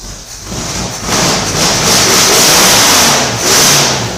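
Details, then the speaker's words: 1968 Firebird with swapped-in cammed 400 Pontiac V8, Demon carburetor and custom plug wires, first start after rebuild: catches quickly, revs up and down smoothly with a lumpy cam note, no knocks or rattles; needs some fine tuning. "all right all right Paul she stirred right up I guess I'm just gonna need to do some fine tuning on it"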